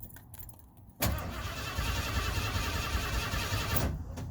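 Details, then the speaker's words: 1991 Ford Bronco with 351 5.8 engine, battery tested fully charged and fuel pump heard priming: starter spins the engine at an even, quick churning rhythm for about three seconds but it never fires. Crank no start. "he cranks but it won't turn over"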